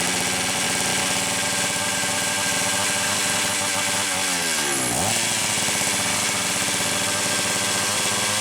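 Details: Homelite Super XL-925 chainsaw, fitted with two different carbs in turn, complaint of fast idle: shrill screaming two-stroke holding a very high racing idle, running lean from an air leak; afterwards a cylinder nut was found to have rattled off.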